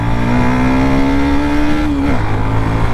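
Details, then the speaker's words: Hero Xtreme 125R motorcycle just after a service for an engine noise problem, ridden on the road; the engine revs smoothly and evenly with the throttle and eases back, no knocks or rattles. The bike feels tight like new, and the single sounds healthy. "और खचा मार के जो गाड़ी गरम होगी और उसके बाद जो आवाज आएगी वो चेक करके आपको बताऊंगा भाई काम एकदम ओके हुआ है या नहीं।"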